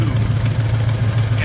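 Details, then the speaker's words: Engine with headers at idle, screws about one turn out: steady low idle with fast puffing raspy chuff; exhaust leak at header flange, likely header hitting frame mount and not sealing to head. "it's sitting here idle and I'm sure you can hear that nasty exhaust leak"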